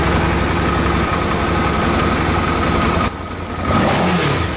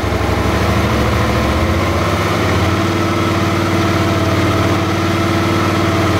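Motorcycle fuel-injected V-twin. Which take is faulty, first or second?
first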